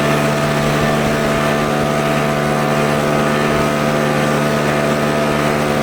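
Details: Troy-Bilt four-stroke backpack blower, started first pull with primer and choke, blowing dry grass outdoors: constant even high drone with steady air rush, no stumbling or hunting; runs great.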